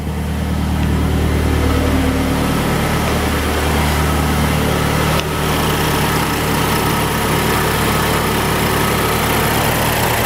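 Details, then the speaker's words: Mazdaspeed3 idling after high-pressure fuel pump and intake install: loud, even idle with steady low drone, no knocks or ticks; engine settles smoothly and sounds healthy. "Turned on right away. Everything seems good."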